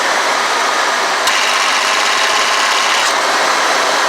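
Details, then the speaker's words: 1991 Ford E250 5.8 L engine running: sharp clicks about every two seconds over engine hiss as the AC compressor clutch short-cycles from low refrigerant; recharging with two cans fixed it. "this is a 1991 ford e250 5.8 liter engine hear that clicking right there see it"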